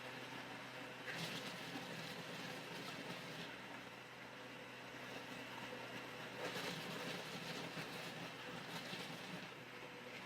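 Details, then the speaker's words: Philips 3000 Series blender blending beans, peppers and onions: a harsh grinding roar with loud rattly bursts, louder when not held by hand; the lid feels insecure and rattles on the jar. "The cover was rattling. Can you hear this cover does not really feel so secure?"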